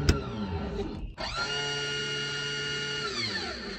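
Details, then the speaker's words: Lippert RV slide-out motor spins up to a steady high whir with no load change, then winds down; it turns freely because a gearbox gear is stripped and the slide doesn't move. Repaired by replacing the gear rather than the whole motor. "i pushed the button and you could hear the motor spinning and nothing what happened here i'll show you what it sounded like it's like spinning and spinning nothing is the same"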